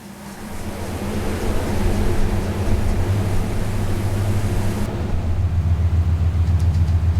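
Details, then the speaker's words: Built Subaru on the dyno at about 14 lb of boost: the engine pulls hard with a loose, uneven rattle riding over it under load; thought to be an external noise, not an internal one. "But I mean, it's not unusual to dub to like dyno your Subaru and then have rattling noises."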